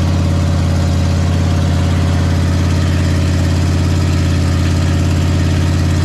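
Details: Big block Ford 460 V8 in a 1956 F-100 on open headers, running for cam break-in; loud, deep, even drumming with a steady beat, no misses or knocks; normal running.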